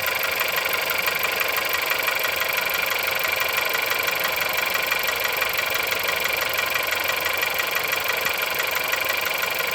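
Cold-started petrol engine ticking with a fast, fairly even knock at about three per second over a bright, hissy idle.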